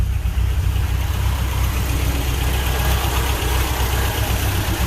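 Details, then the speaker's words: Rambler engine just after a points swap. Low, steady idle with an even, unhurried beat and no misses or knocks: running smoothly, normal idle. "Points swap achieved. Sounds like it's running okay."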